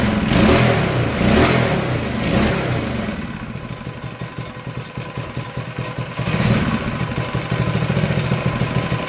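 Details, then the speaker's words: Engine for a Manco Streaker mini bike: revs up, drops back to steady even putter at slightly low idle; runs clean, idle needs adjusting up a teeny bit. "Hell yeah. Looks like I need to adjust the idle up a teeny bit, but it sounds good."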